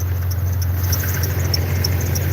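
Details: Jeep (XJ/classic) at idle: short sharp high-pitched chirps repeating every few tenths of a second; squeak, owner suspects the drive belt though it isn't old.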